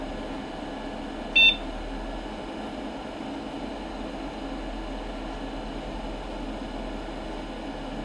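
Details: Commodore PC20 (originally a 640K 8088) upgraded with a Pentium: one short high beep at switch-on over a steady fan hum; a clean self-test and normal start.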